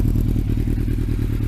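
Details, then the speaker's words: Thunderace motorcycle being reassembled: a steady idle with a fast, even clatter riding on the low beat; sounds rattly, and something loose inside is suspected but not confirmed. "And it doesn't sound too bad with that exhaust. Let me just start it up again. Although it does sound a little bit rattly."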